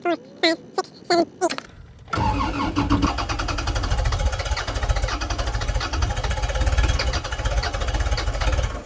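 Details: Tractor with Kubota diesel, 3,600 hours, at 16°F after 15 seconds of glow plugs: cranks in short bursts, owner let off too quick, then catches with rough, uneven clatter that slowly settles; hard cold start.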